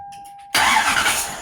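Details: Toyota LS400 1UZ-FE starter after cleaning repair, fuel pump fuse pulled so cranking only: quiet, then starter engages and spins engine briskly and evenly, no grinding or clicking; starter works.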